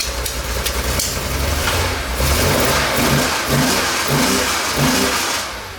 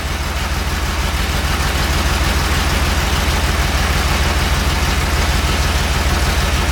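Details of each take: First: 1969 Porsche 911 T that misfired and lost power, after cleaning out the carburetor jets: engine catches and revs up and down freely with an even, steady note; idle and carbs still to be adjusted; normal running. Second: 1969 Porsche 911 T with recently rebuilt carbs, new plugs, wires, cap and rotor, misfired and lost power while driving; lumpy idle stumbling about three times a second; owner first feared burnt valve; misfire.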